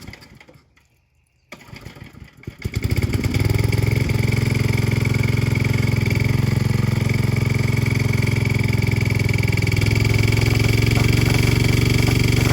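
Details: Old Briggs & Stratton 5 hp single-cylinder water pump just fitted with new carburettor, maybe choked: catches after a couple of seconds, settles into steady even beat while pumping water; normal running under load.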